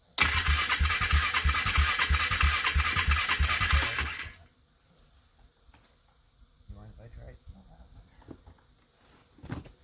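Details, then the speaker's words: First cold start attempt on full choke: about four seconds of steady, regular cranking at roughly three turns a second, then silence, never catching; it fired once earlier, owner suspects flooding or a plug needing change. "What happens, I think, sometimes when it doesn't fire and you have full choke on, you get too much gas in, and what that's called is you flooded it."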